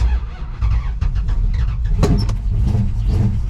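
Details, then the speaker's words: General Lee Dodge Charger with a new big-block V8 and a Holley Sniper, slightly heat soaked, held near 1,900–2,000 rpm during cam break-in with throttle blips: deep, even burble on all eight, no misses. Normal running; timing still to be sorted. "Sounds like it's running on all 8. We still have some timing that we need to figure out."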